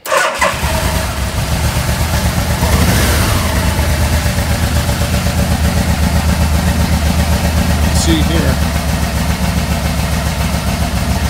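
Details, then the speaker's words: 1986 Yamaha Venture, carbs checked with vacuum hoses on cylinders: lumpy, uneven idle that never settles; one cylinder appears to show less vacuum, carbs suspected out of balance; rough idle. "probably a lot less vacuum than these two so just to be sure i'm going to reverse these two two hoses and if the symptoms change then i know my carbs are out of balance a little bit"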